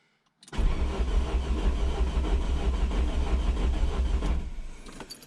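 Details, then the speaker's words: Rebuilt semi-forged 3.0 engine, first start attempt; cranks fast and loose with a light, uneven beat lacking compression chug. No oil pressure shown, possibly a faulty gauge; owner says it sounds like it has no compression. "pas de pression d'huile même le bruit on dirait qu'il n'a pas de compressions c'est un peu bizarre"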